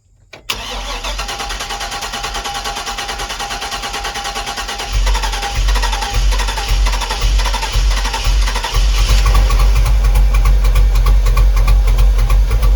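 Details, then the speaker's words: 2004 Chevy Express 3500 6.0L V8, first start after sitting at least 7 years, with the fuel pump heard priming: it cranks briefly, catches at once and settles to a steady, even idle with clean throttle blips. A normal start and idle. "It's running. running. It's officially running,"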